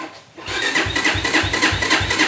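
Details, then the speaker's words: XR150 clone motorcycle electric start with the kickstand down and without the decompression lever: sluggish starter grind, about four laboured turns a second, no firing; slow cranking and no start, the battery seems weak. "battery, seems pretty weak."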